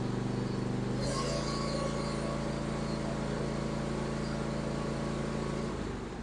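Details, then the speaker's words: John Deere E140 garden tractor, 22 HP Briggs & Stratton twin, hood on after fixing mouse damage that stopped one cylinder sparking: steady low drone, firm regular beat on both cylinders, no miss, then eases off; may smoke briefly. "that sounds so much better it's gonna smoke a little bit because that one side wasn't sparking but once it cleans up all that out of that cylinder and everything will run just fine"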